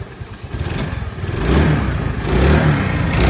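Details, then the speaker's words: Hero Maestro Edge scooter started after fitting a new CDI that needs no programming or coding, replacing the old one; small single-cylinder engine picks up smoothly from idle into clean, even revs; runs normally, no complaints. "അതുപോലെതന്നെ നമുക്കിത് വലിയൊരു എമൗണ്ടിന്റെ കുറവുമുണ്ട് അപ്പൊ എല്ലാവരും ഇങ്ങനെ ബുദ്ധിമുട്ടൊക്കെ വരുകയാണെന്നുണ്ടെങ്കിൽ നമ്മൾ വറുക്കിന്റെ സീരിയ use ചെയ്യുക യാതൊരു കംപ്ലൈന്റും ഇല്ല വണ്ടി"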